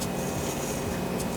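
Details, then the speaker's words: Cadillac Escalade (2007–2014) alternator removed and hand-spun: rough, gritty grinding from worn internal bearings; replaced with a new alternator. "As I spun it, you can hear the bearings grinding inside."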